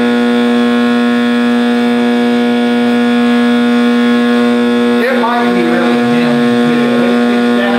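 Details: 1960s General Electric black-and-white TV, back off, warming up after rewiring: a steady, loud, buzzy low hum, then a wavering howl rises over it; owner suspects an internal capacitor rather than the tube, unconfirmed.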